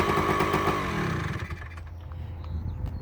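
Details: Two-stroke bike, cold first start on first kick after right-side engine reassembly with new gasket: sharp rapid crackle on a throttle blip settling into a steady low idle, clean and even; healthy engine.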